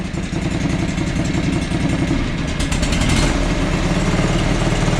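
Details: John Deere 445 twin-cylinder engine: chugs unevenly as throttled up, beats stumbling irregularly; one cylinder flooding and misfiring, white smoke and oil blowing from the muffler afterward.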